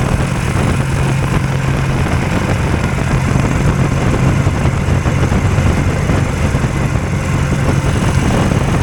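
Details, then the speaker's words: Hovercraft two-cylinder engine newly set up with drive components, under constant load: loud, fast, steady drone held at a deliberately high idle; runs all right once started. "yeah they're noisy in there it's got a pretty high idle and I'm got to leave it at high idle because it doesn't uh it's pulling a load there all the time but once you get it started it's all right"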